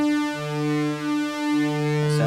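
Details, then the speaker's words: Yamaha CS-40M vintage analogue synth after repair of a fault in which every other note sounded like a different waveform: clean, steady sawtooth from both oscillators and both voices, stable pitch with no crackle or dropouts; the chopped waveform was traced to the output switch, now fixed. "much better. Now I can hear what I would expect to hear. A nice sawtooth waveform from both oscillators, both voices."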